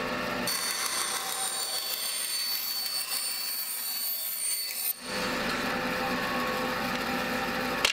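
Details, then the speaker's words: Wood-cutting bandsaw cutting very thin plywood: bright light hiss with faint high ring through thin sheet, then a fuller tone; normal cut, sound differs with material. "Even though it's the same saw, it sounds different depending on what it's cutting. And after having some practice and experience, you will become familiar with how it should sound depending on what you're cutting."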